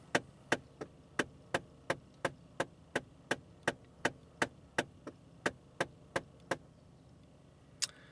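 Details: 2015 Ford Fiesta SE climate control, engine off: sharp, regular clicking about three per second from a failed HVAC door actuator, a different actuator from the one replaced before.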